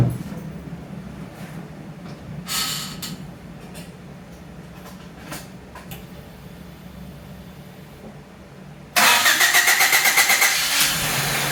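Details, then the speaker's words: Honda Civic hatchback with a no-start traced to the ECU (leaking capacitors), now running on a swapped-in Hondata OBD-1 ECU and two-year-old gas: it cranks, catches straight away and settles into a steady, even idle. "it was confirmed that it was the ecu issue when i was able to swap in my other hondata obd-1 ecu and the car started started right up even even on the two-year-old gas that's in the gas tank"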